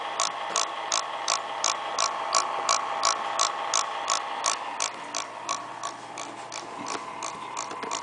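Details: Acer laptop fan, spinning well but noisy once reassembled: crisp regular tick about 167 times a minute over a light fan whir, cause unclear.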